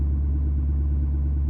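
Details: 2019 6.7 Powerstroke diesel in high idle, triggered by upfitter switch 3 through a high-idle mod, parking brake not set. Steady, even deep drone with no knocks or misses; normal high idle.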